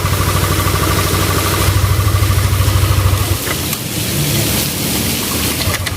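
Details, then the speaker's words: Yamaha Aerox scooter, original bearings judged safe despite earlier oil-seizure marks: smooth, even idle that rises cleanly when revved and settles back with no rattle; normal idle and revving. "Kalau menurut saya sih udah aman cuma ini emang awalnya tadinya bekas kelat oli Bang ya"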